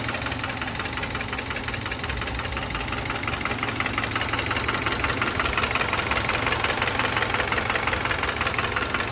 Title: 2012 Subaru Outback Engine Knock